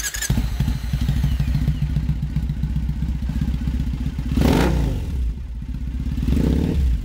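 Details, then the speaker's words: Customized Triumph Bonneville bobber/drag bike, second-ever start: cranks and catches, settling into a deep, even, lumpy twin beat with steady firing pulses and a couple of blips; normal idle, runs clean and healthy. "Does that sound great or what? It's spectacular."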